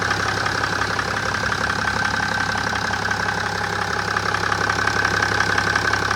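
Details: 2007 BMW 530d E60/E61 LCI, M57N2 diesel, at idle; light regular ticking about three per second over the diesel clatter; owner unsure whether bearings or valves. Engine ticking noise.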